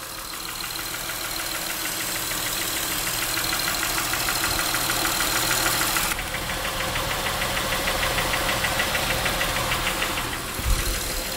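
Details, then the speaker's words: Honda Pilot engine idling with light, fairly regular tapping (about three per second) like top-end valve tick; knock persisted with each cylinder unplugged, and the microphone exaggerated it. Cause unconfirmed. "so here we are at a honda pilot you probably hear a little bit of that knocking"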